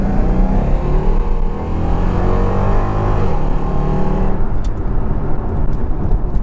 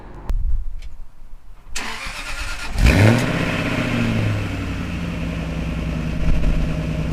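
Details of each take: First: Jaguar XKR with a rebuilt V8 and sports cats under full-throttle acceleration: a deep booming roar rising hard, far louder than normal. The exhaust valves open at 3000–3500 rpm into the straight-pipe outer routes, giving an obnoxious drone. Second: Jaguar XKR with exhaust valves cable-tied shut and fuse 19 removed, forcing flow through the silencer: engine fires up, flares, revs and settles. The note stays a muted, deep drone.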